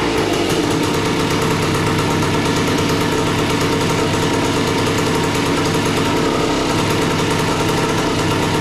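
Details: A 1976 Suzuki TS185 two-stroke dirt bike, long-stored and just revived, idles loud and busy, roughly steady but harsh and unsettled. After idle screw adjustment the owner wants more idle and wonders about flooding or the float. Tuning is still needed.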